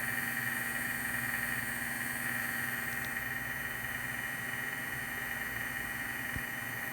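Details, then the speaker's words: Vintage 1978 Shinsei Fire Fox (Lamborghini Cheetah) toy, revived after long dormancy: steady even high whine from its small electric motor, running strongly after initial trouble starting; normal running. "Oh yeah, that's running way stronger now. I think it was just having trouble starting"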